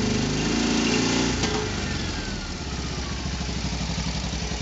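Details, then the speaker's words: Isetta high-compression single on a dynastart, after rewiring and fitting an HD electronic charge/starting relay, with a car battery and hot rod coil: it fires up, revs briefly, then idles evenly; the charge light goes out and it charges about 13 volts. "so turn the key charge light comes on engine fires up you'll see the charge light there is glowing a little bit if i wrap the engine up oh i just got though it goes off awesome i can hear the engine worrying and i've got a little over 12."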